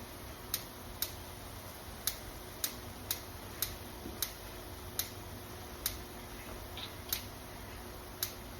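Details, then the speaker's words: Kitchen stove igniter clicking sharply once or twice a second after lighting; owner says the flame-sensing sensor needs replacing; igniter keeps clicking after lighting. "my stove is having issues right now you guys I'm sure you can hear it clicking I've got to get it fixed"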